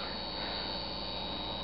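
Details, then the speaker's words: Stationary Bachmann Santa Fe GP40 DC locomotive on a DCC track: steady high-pitched buzz as DCC track voltage reverses the motor very rapidly. "When a DC locomotive is sitting on a DCC track and it is not moving, the DCC track voltage is causing the motor to reverse direction very very rapidly. It causes this buzzing sound that you can hear, that high-pitched buzz."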